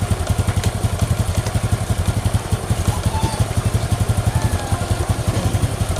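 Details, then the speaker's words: Honda Supra X 125 after an engine repair for rough noise (block and piston): a steady, even single-cylinder idle with no knocking, raised slightly because the freshly rebuilt engine is still stiff; the earlier ticking is gone. "Wah bong karena mesinnya masih sedikit berat kita besarin sedikit lansamnya guys karena ini berat berat karena putaran mesinnya berat karenanya masih baru guys"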